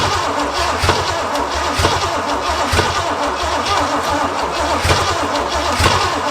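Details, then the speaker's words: Barn-found 1968/69 Pontiac GTO Judge, first start attempt after fixing plug wires, dry engine not oiled, brake clean sprayed in: steady starter churn with occasional ragged firing pops, never catches; seems fuel-starved. "She's got two trying it seems like. Oh, she's thirsty."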